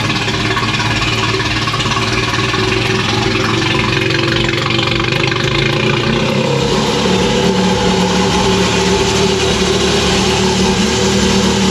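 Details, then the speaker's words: Fire-damaged Ferrari after rebuild and wiring loom repair, low fuel, started: smooth, even V8 idle holding a steady note, nice and quiet with no misses, knocks or ticks; normal idle. "You heard the engine there, nice and quiet. It's that sound pretty normal? Sounds good. Very good. Very, very good."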